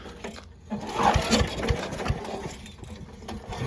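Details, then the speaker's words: Old Giant Vac leaf blower with 1982 8 hp Briggs & Stratton engine, stored outside, cold day: repeated recoil pulls with ragged sputters that never catch; hard starting, water found in the gas and suspected in the carb. "Oh, it wants to go. I thought it was just going to start on first. I think there's water in the carb."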